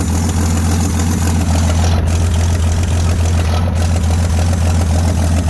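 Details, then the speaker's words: 1979 AMC Jeep J10 258 inline six just started, on choke as it comes off: deep even idle with steady low throb, no skips or tapping; runs smoothly with oil pressure, fuel line leaking. "Wow, runs good. Choke's coming off. Man, she runs sweet."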